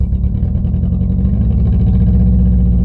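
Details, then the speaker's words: Four-cylinder car left standing on a yard: rough, uneven low idle with stumbling beats about every quarter second, not all cylinders firing; misfire, owner says spark plugs are worn out, compression fine. "alle vier zylinder irgendwann mal laufen die zündkerzen sind nämlich am ende"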